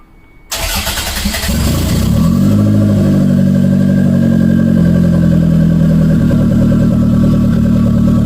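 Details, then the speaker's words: Engine start after axle install and cable adjustment: the engine catches quickly, revs smoothly and holds an even, steady note with no misses or knocks. Normal revving. "turns on I can give it some revs and and it sounds good so fingers crossed let's check it out"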